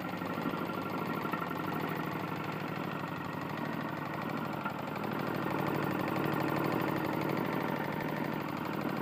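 Small engine holds a steady speed with a hard metallic knock hammering through every turn, typical of a loose connecting rod.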